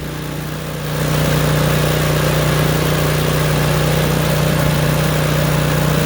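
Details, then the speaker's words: Craftsman snowblower, about 3–4 years old, just started: ran rough and popping on choke, then with choke moved one more click off the popping stops and the small engine settles into a steady, even drone. "So now do you hear it popping? Now go 1 more click. The popping stopped."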